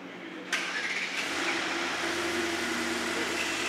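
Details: Mercedes GT63 AMG start-up after new timing chain, tensioner and camshaft adjuster were installed: quiet, then starter catches and engine fires cleanly into a steady even idle with no ticking or rattle; normal start-up after repair.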